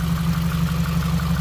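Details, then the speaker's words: Subaru WRX 2.0 flat-four warm idle after replacing all valve shims: smooth, steady low drone with no valvetrain ticking; lifters quiet and healthy. "it's pretty quiet give me a thumbs up the lifters here is quiet now I don't know if you can hear it over the camera this side is pretty good"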